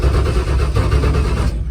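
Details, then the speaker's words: Drag race car idling on the return road after the motor was hurt: loud, lumpy, loping idle with a gap in the firing, one dead cylinder. "that's no good i'm sitting down here on the big end on the return road um as you heard i just hurt the motor listen"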